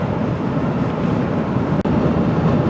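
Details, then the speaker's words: 2024 Toyota Tundra iForce Max Hybrid on a highway trip, in cabin: steady heavy low roar and rumble on left and right; retracting mirrors didn't change it; windy day, 8-10 mph; cause unconfirmed; excessive wind noise. "A very smooth riding truck. However, there seems to be an awful lot of wind noise on left and right side."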